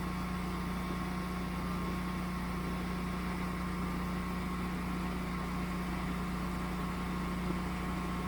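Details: Generac standby generator started by switching the utility service disconnect off, transferring power: quiet, steady hum with a constant tone and no knocks or surging; running smoothly, normal.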